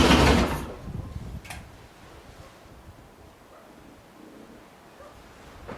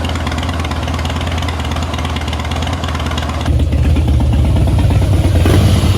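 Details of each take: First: 2011 Harley-Davidson Heritage Softail with a fuel pump that primes and throws code B2119, with no fix from a replaced regulator housing. It cranks, catches for barely half a second, then dies. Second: 2011 Harley-Davidson Heritage Softail after three years of storage, running after a failed fuel pump was replaced and fresh fuel added. It holds a steady, loping V-twin idle, then revs a little harder, firing evenly without stumbling; it runs properly.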